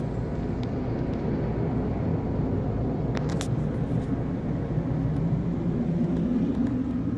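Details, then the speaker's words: 2014 Tiffin Allegro 36LA RV rooftop air conditioner running after kicking on via new Micro Air EasyTouch thermostat, cooling from 79°F toward 75°F: steady even compressor and fan drone, no rattles or squeals; normal running. "We'll wait for it to kick on. Should kick on any minute. There it goes. It kicked on, guys."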